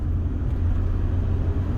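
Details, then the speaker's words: Ford Transit van after fixing wind whistle at both doors above 50 mph, door rubbers possibly misplaced: at speed, steady low road rumble with no whistle or wind rush; cabin sealed and quiet. "listen to that absolutely lovely I'm doing a lot faster now still doing the speed limit exactly the speed limits because it's illegal to do anything else but listen no noise absolutely no noise"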